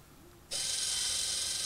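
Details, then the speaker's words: 2017 Honda CR-V rear electronic parking brake caliper motor, powered directly with alligator clips during pad replacement: steady high-pitched whir, motor spinning without the piston moving, confirming correct retract direction; normal operation. "so you can hear the motor running but it's not moving so that means it's going the correct direction"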